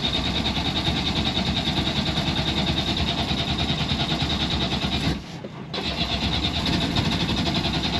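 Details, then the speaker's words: Yanmar marine diesel on sailboat, fuel system being bled: steady cranking with a couple of brief firings that never catch; air or fuel starvation, won't start yet. "come on baby okay at least it tried to kick over it caught a it caught a couple yeah"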